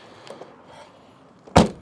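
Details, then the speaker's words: Ford Focus Mk2, ignition on: a sharp clunk as the boot latch pops open by itself when the brake pedal is released, caused by a corroded electrical wiring connector, later repaired. "look what happens when I release the brake pedal so listen for the noise there we go did you hear that the booth has popped open just like so"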